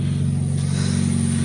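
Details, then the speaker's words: 2005 Scion xB, 1NZ-FE 1.5-liter 4-cylinder with 4-speed automatic, running poorly with check engine, ABS and traction control lights: loud, raspy puttering with chopped, uneven low pulses from exhaust escaping through a broken exhaust pipe. "and it's got a broken exhaust pipe but you can hear it"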